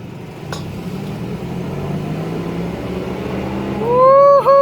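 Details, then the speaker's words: Ford Explorer driving: over road noise a low steady hum from the passenger side front wheel; worn front wheel bearing, later replaced. "as you probably heard there's a noise coming from the passenger side front wheel"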